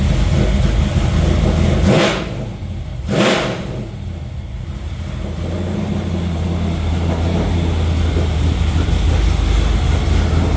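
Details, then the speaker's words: New stroker LS V8 after the intake-rocker fault at the lifter is fixed and the original block crank sensor is restored: a steady, even idle rumble and two quick clean revs that fall back smoothly, running normally. "right. Well, that sounds a lot better."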